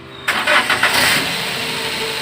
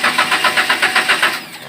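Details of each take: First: Daihatsu Gran Max petrol engine, previously hard-starting with P0303 misfire, after drying the coil and cleaning water from the spark plugs: cranks briefly, catches at once and idles smoothly while still very cold. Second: Daihatsu Gran Max, hard to start, code P0303 cylinder 3 misfire: starter cranks in even pulses, about eight a second, but engine never fires, then winds down; repeated start attempts fail.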